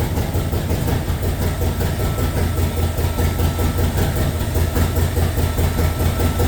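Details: LS2 V8 in a 1967 Corvette, just started for the first time, cold on a default map before operating temperature: heavy throbbing even idle, no ticking or grinding; normal cold idle.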